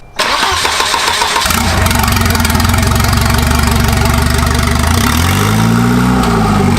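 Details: Turbo wagon on a Microsquirt standalone harness, intercooler piping unfinished, no exhaust: catches instantly into a strong, lumpy idle, revs up cleanly and drops back; RPM and sensors reading good; normal revving.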